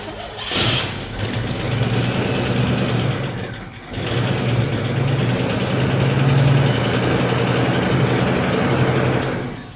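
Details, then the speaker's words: 1988 Monte Carlo with a swapped original 4.7 L 265 V8: it catches and runs a shaky, uneven low idle that sags and dies; it isn't getting fuel from the tank, so fuel starvation is suspected. "like we're not getting fuel. >> Yeah, I don't think we're getting fuel. I did put some gas in it, so it could just be struggling to pick up."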